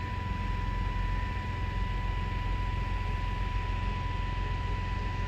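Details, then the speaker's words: 1996 Chevy S10 after replacing the rusted fuel line and installing a new fuel filter: cranks straight without the usual hard start, and settles into a smooth, even idle without the previous rumbling vibration. "okay and i didn't have a hard start like i normally do when it was clawed i don't feel that rumbling vibration"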